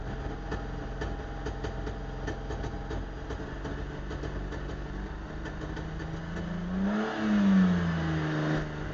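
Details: Mercedes R129 300 SL petrol engine with rough idle: irregular stumbles and clicks, misfiring, then a brief rev.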